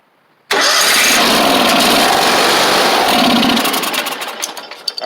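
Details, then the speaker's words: Free John Deere X500 garden tractor, carb spray and a little gas: catches at once, runs loud about three seconds, then sputters and dies; not responding to choke; owner suspects carburetor fuel solenoid or bad fuel pump, fuel related. "I don't think that the solenoid and the carburetor is working like it's supposed to we'll do that a couple more times could be a bad fuel pump yeah it's not responding to choke or any input"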